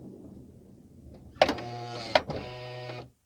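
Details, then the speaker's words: 2008 Honda Odyssey, about 160,000 miles, rear sliding door after fix with a washer behind the arm bolt: motor hum with two solid latch clunks about a second apart, then quiet; door closes cleanly and arm returns. "door shuts fine comes back"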